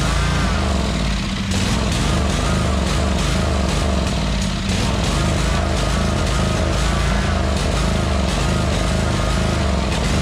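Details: 2003 Wright Stander fixed-deck mower, 23 hp Kawasaki V-twin, fuelled makeshift into the carburetor due to a leaking fuel-tank grommet: strong, even low throb at steady speed without knocks, misses or rattles; normal running, nothing wrong with the motor.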